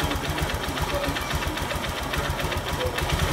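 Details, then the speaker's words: Honda Verza motorcycle after repair of scored, damaged piston (was knocking and smoking white) with oil passages cleaned: engine idles fairly smooth like stock, even quick beat; remaining faint ticking attributed to the injector, said to be harmless. "Ini hasilnya untuk motor verzanya mesin lumayan halus cukup halus bagi saya seperti bawaan motor aslinya ya"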